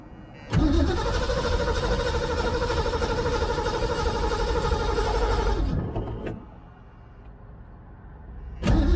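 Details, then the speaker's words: 1978 Ford Mustang II, carbureted, sat for months, old gas poured down the carb, battery booster on, choke off/half: catches and runs rough about five seconds, dies, then cranks again; fuel starvation, little fuel in filter, suspected fuel delivery issue. "well yeah apparently we had no fuel a little bit of fuel in the filter so we may have a fuel delivery issue on our hands"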